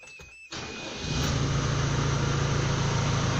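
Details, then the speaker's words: Manitou MLT 627 diesel after oil filter and both fuel filter changes, fuel system primed with ignition on about 3 minutes before cranking; brief crank, catches within a second, settles into steady even clatter; clean start. "So you can turn the key and away you should start."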